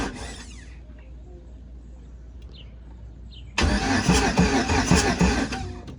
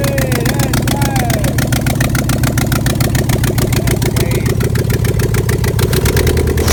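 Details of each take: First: 1988 Pontiac Trans Am with 5.3 LM7 LS swap, first startup after wiring work: loud steady cranking about three beats per second that never catches, no spark; a ground was found off and refitted before retrying. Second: 1988 Pontiac Trans Am with 5.3 LM7 LS swap after wiring completed: even, steady V8 idle loping at a constant pace with no misses, knocks or stalling; engine runs fine.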